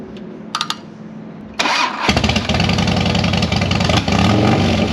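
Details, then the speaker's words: Harley-Davidson on race fuel, with the fuel gauge reading empty: quiet cranking, then it catches and runs lumpy and uneven at three to four beats a second; owner suspects a fouled spark plug, bad plug wire or bad injector. "I think I have fouled me a spark plug yep so she a't for sale yet [ __ ] sucker I think I either got a bad plug wire or a bad plug or a bad injector something is [ __ ]"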